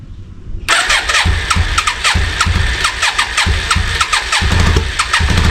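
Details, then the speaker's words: 34-year-old Yamaha Virago 535, last ran 2003, after carb clean, run around the block: fast, uneven idle with stumbling beats and dropped pulses; high idle with misfire, owner suspects carbs still or a dead spark. "So, I've got it running. It took it around the block and it seems to be idling very high and it seems to be like misfiring as well. So, it still could be the carbs or there might be a spark out."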